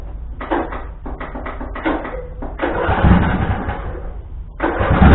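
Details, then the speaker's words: Husqvarna riding tractor after sitting all winter, heads previously off: cranking bursts, then a loud, raw, unmuffled low-pitched blatting from a broken, leaking exhaust the owner leaves unfixed. "so alrighty [Music] so and yes the exhaust is broke i do not care to fix it the quiets up over time"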